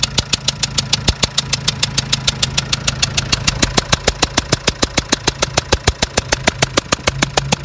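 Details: Renault Trafic 1.9 engine: loud, sharp, regular knock about three per second over the idle clatter; it still pulls normally, and a strong burnt-oil smell blows from the left side when the throttle is pressed. Cause not found.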